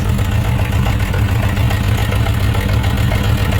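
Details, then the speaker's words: Suzuki RF900 multi-cylinder motorcycle at idle: loud low uneven stumbling beat, three or four per second; one cylinder misfiring, its exhaust not drying as it gets too much fuel. "so that one right there is not firing very well but this one is firing can see the difference right"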